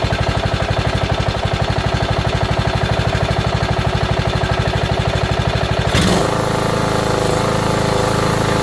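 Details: Steady engine knocking about twice a second, then a tonal change, caused by gasoline in the crankcase thinning the oil.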